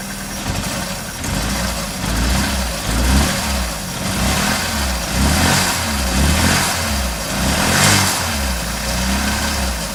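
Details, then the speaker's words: Opel Manta during timing work, distributor being adjusted, running rich, no coolant in it: steady low idle with only slight drift in revs, no misfire or stumble; now sounds pretty nice, normal idle. "That sounds pretty nice."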